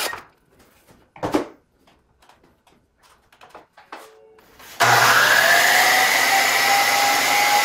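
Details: DeWalt DW717 miter saw, whose noise is usually from bearings (6302 2RSJ and 608 2RSJ). Handling clicks, then the motor spins up to a clean, steady whine with no rumble or grinding; a normal motor run with healthy-sounding bearings.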